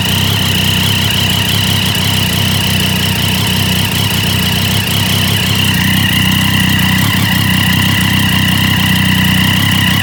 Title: Daytona 675 exhaust leak?